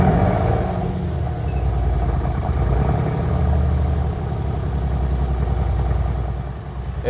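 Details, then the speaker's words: Mercedes-AMG C63S (W205) M177 4.0L BiTurbo V8, cold after a full rebuild and timing set: catches and settles into a steady, even low idle with no knocks or misses, no engine light. Normal idle. "There we go. She's idling, no engine light."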